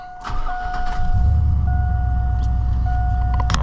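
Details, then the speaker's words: 2001 Chevy Silverado 1500HD, 6.0 LQ4 V8, first cold start after installing BBK shorty headers with a Magnaflow muffler: the starter catches quickly into an even, quiet low rumble with no ticking or exhaust leaks and no warning lights. "and quiet sounds good no lights on yet doesn't sound like there's any leaks all looking good"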